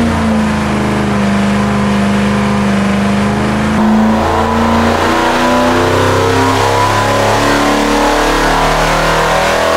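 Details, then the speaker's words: Mopar 383 V8 (flat-tappet hydraulic cam) for '68 Dodge D200 on dyno during ring break-in: full-load pull climbs steadily, clean even exhaust, no misfires; 385.5 hp at 5,200 rpm, 406.3 lb-ft at 4,300. "We did a little bit better than we did before. We did a 385.5 right now at 5,200 RPM. Torque came in over 400."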